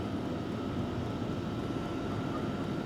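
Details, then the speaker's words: Sunster TB10 diesel heater running on level eight (high): steady blower roar with faint even tone, fan kicking up, no fuel pump ticking audible; normal quiet operation. "I hear the fan starting to kick up a little bit more amazingly I don't hear the pump at all at this"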